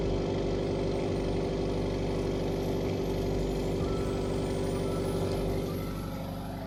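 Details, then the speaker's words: Subaru WRX FA20 2.0L turbo idling after replacing a stuck-open injector and cleaning throttle body and air intake, relearning idle on fuel injector cleaner with light smoke: even, settled low rumble with no misfire or ticking; idling well. "It's idling really good though. >> Mhm, sounds great."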